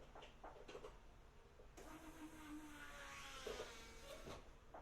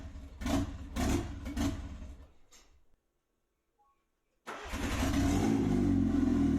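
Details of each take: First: Turbocharged Pulsar after an engine swap, fresh oil in and tune not yet uploaded, before starting; a quiet, short, steady hum rises for about a second; the fuel pump priming normally. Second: Nissan Pulsar after turbo engine swap, fresh oil change, tune not yet uploaded: cranks, catches, surges and stumbles with uneven pulses, won't settle to idle; rough running without engine tune.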